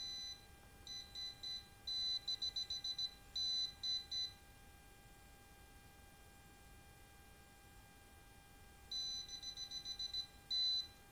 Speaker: Hai sampai di sini kita masih mendapatkan arus ya Hai Nabi mendapatkan arus